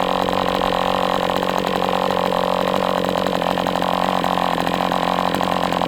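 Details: MDS 68 FS Pro four-stroke glow engine on break-in stand, after carb retuning (idle screw had been tampered with), idle bar plug removed; fast even buzz at steady speed, no misses or surges; normal running.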